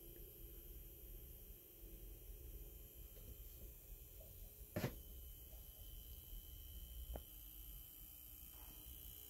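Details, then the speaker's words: Faint steady buzz with a thin high whine in quiet scenes from a brand-new Optoma UHD52ALV projector playing paused 4K content, traced to the 4K pixel-shift actuator; it persisted after break-in and stops in 3D mode, where the actuator is inactive. "there's a buzzing noise that you're hearing any quiet scene or any lower volume scene you could hear this buzzing noise coming from the projector when it's in 40 mode"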